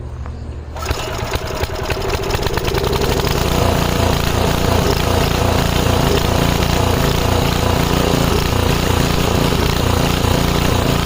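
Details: 5 HP Briggs & Stratton on an MTD rototiller after carb cleaning, started without choke or prime: steady loud chug with speed hunting up and down, a surge. It almost idles well off throttle. Cause suspected, not confirmed.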